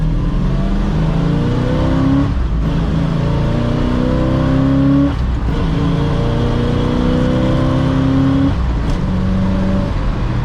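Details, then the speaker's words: 1956 Chevrolet Bel Air hardtop, 350 V8, 4-speed manual, headers, dual Flowmaster exhaust, on test drive: deep V8 pulls strongly through gears, pitch climbing cleanly before shifts; speedo cable grinding noted, runs well. "Runs pretty good."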